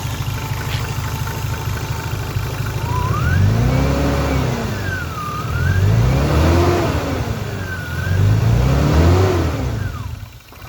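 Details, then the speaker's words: 1993 BMW 325i turbo sedan drift car: thin whine rising and falling in pitch with each rev over the exhaust roar; alternator whine. "Yeah, so I don't know if you can tell from the video, but the alternator is definitely whining a bit."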